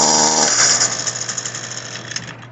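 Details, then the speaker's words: Echo SRM-225 two-stroke trimmer that won't rev up: brief buzz sagging into a weak, uneven idle, sound echoing from the carburetor side, little exhaust flow; clogged muffler and cylinder exhaust port. "so as you can hear it it echoes on the on the carburetor side like that it's almost being the exhaust and then uh here you just see the smoke kind of whispering you don't feel anything really coming out that's how you know that it's uh a clogged muffler and head"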